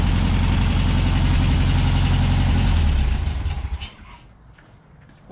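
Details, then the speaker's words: 1963 VW Beetle after new spark plugs, an oil change, fuel pump cleaning and fresh gas with Seafoam. An even, steady chuffing idle with a regular beat and no misses or knocks, then the engine is shut off. It now runs smoother with more power. "okay so it already sounds like it's running nicer [Music] yeah it's got some power to it now"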